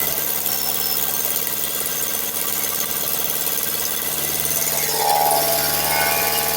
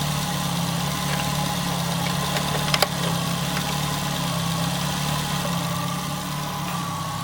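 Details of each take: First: Nissan Altima with a cracked exhaust manifold leaking: quick, fairly even ticking, about three to four per second, over a thin idle. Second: Nissan Altima, exhaust manifold crack checked for leaks: steady, smooth low idle with even hum, no ticking or puffing; exhaust sealed, engine healthy.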